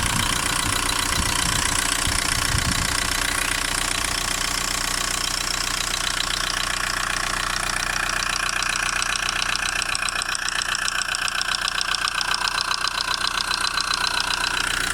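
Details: VW Golf 1.9 TDI AHF 110 diesel idling with a crisp, regular tick about two and a half a second near the upper engine; injector or lifter suspected, unconfirmed.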